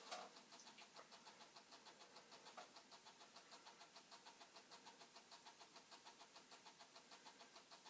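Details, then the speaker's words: Commodore 64 5.25-inch floppy drive on an old disk: steady rapid clicking about five times a second, head hammering back and forth without finding data; owner suspects disk issues, not confirmed. "A very hard, it's not going well. The head is going crazy. You can probably hear that. Trying to figure out what's what."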